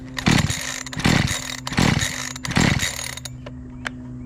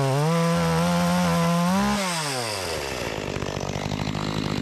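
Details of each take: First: Makita EA3200S chainsaw stored a year, primer bulb confirmed working, choked: four rough pull bursts about a second apart, each firing briefly then fading; it won't keep running because the hardened carburetor fuel pump diaphragm starves it. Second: Makita EA3200S chainsaw, repaired after not starting following a year in storage, test cutting an old utility pole: screams at high revs, drops pitch into the cut and holds a strong pull without bogging; healthy.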